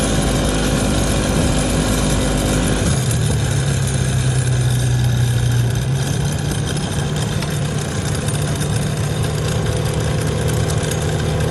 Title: 2011 Polaris ranger crew rattle at high speed. What is making this sound?